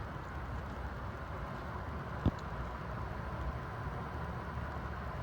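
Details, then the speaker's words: Antique General Electric type AH1 ceiling fan motor running without blades: low soft even hum with one small click, no rattle or scrape, running quietly. "can see she runs good though really quiet"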